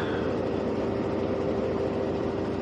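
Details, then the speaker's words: Whirlpool Cabrio washer after replacing bearings, shaft and seal, heavy load of towels, full-speed spin: even steady hum and constant whine, no roaring, rumble, knocking or UL error; normal spin, repair appears successful. "Smooth, no UL. That's a heavy load of towels too, so I think we got her fixed."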